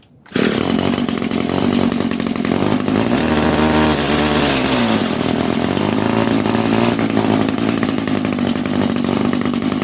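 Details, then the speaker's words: Roughly 22-year-old Echo string trimmer, sat for years, at full choke and full throttle: high raspy two-stroke buzz that wavers and strains; runs only on choke, carburetor faulty and needs replacing, compression good. "I can run it with the choke on. This is full choke, full throttle. But this carburetor is not happy."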